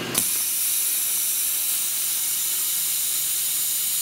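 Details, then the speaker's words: Rolair JC10 air compressor after fitting a brand-new unloader solenoid valve: with the motor stopped, a steady high hiss runs on without fading; owner suspects air leaking at that spot, unconfirmed. "so you hear that his sound after the motor stopped I think this air is leaking here"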